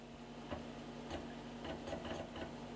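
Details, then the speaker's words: Amstrad PC1512 floppy drive booting MS-DOS 3.2 from copied system disks: soft head-seek ticks with short high chirping squeaks as the drive steps. The owner suspects it may need lubricating, but the drive works. "slight squeak as a drive Muse maybe it does need lubricating but it's worked"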